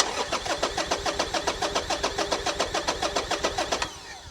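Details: Salvage Harley-Davidson motorcycle with engine management light on, fuel smelling fresh, fuel pump priming: starter spins the engine at an even three-and-a-half pulses a second without a single catch, then stops; crank, no start, traced to a blown fuse.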